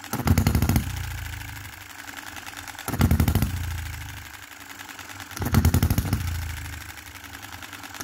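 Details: 2022 Enjomor Chinese hit-and-miss engine after fixes (spare piston ring, corrected valve timing, leaded governor weights, added spring and adjustable stop for quicker latching): sharp firing bursts roughly every 2.5 seconds, quiet coasting between; normal, even governor operation.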